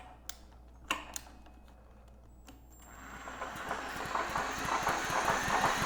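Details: Generac GP6500E generator engine, previously stuck partway through rotation, spun over by a braked drill with recoil removed: drill whine with soft rhythmic puffs about three a second; turns freely, compression audible but sounds weak, minimal leak-down seen.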